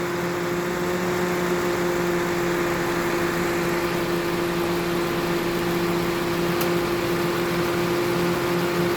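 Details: 2008 Toyota Matrix A/C: steady compressor hum with a faint single click as the clutch cycles out; pressures swing and the low side hangs up, traced to a sticking expansion valve that is then replaced.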